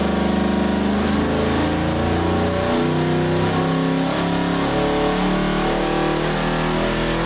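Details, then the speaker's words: Custom EFI 632ci big block Chevy, hydraulic roller cam, Holley Terminator-X, on dyno with timing 34° and mixture leaned slightly; deep even V8 roar climbing cleanly through full pull, no misses or knocks, over 600 lb-ft throughout. "this is kind of like our not a Hail Mary Pat pull but kind of a hair Mary Pool just to kind of see if we can squeeze a little bit more out"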